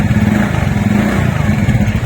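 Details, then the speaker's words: TVS Ntorq scooter after repair (loose magnet bolt on the right side of the engine tightened): even, steady engine beat at low speed, with the earlier right-side noise gone and no rattle or knock; normal running. "वो sound बंद हो गई है इसमें तो अगर आपके साथ भी ऐसी प्रॉब्लम आती है इंजन के राइट साइड से कोई भी नॉइस आती है तो आप इसका मैग्नेट का बोल्ड पहले एक बार चेक करा लें"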